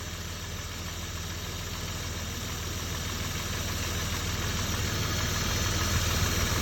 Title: Стук двигателя м50 2.6 строкер. Причина неизвестна